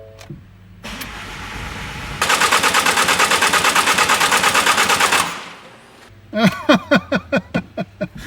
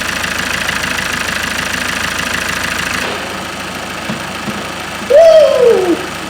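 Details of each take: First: Ford Mondeo Mk5 after snapped timing chain repair, fuel rail drained: starter churns about three seconds without firing; low-pressure pump running but high-pressure side not yet primed. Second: Ford Mondeo Mk5 diesel taxi on its first start after a snapped timing chain repair, self-primed with ignition on, cold and before the coolant fill: smooth, even idle with no knocking, rattling or chain slap. It runs sweetly.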